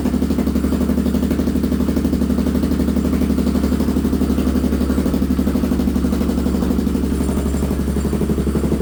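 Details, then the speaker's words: Polaris 570 buggy at first startup, radiator not hooked up, power steering disconnected, power steering and engine lights on: even, steady idle about four pulses a second through a deep exhaust, no knocks or misses; engine runs healthy. "Okay, that sounds pretty good. I like that exhaust, the way that sound."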